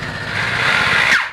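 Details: Electric hammer drill: a high motor whine over an uneven, stuttering, skipping chatter from the gearbox end instead of proper hammering. The cause is a broken hammer piston.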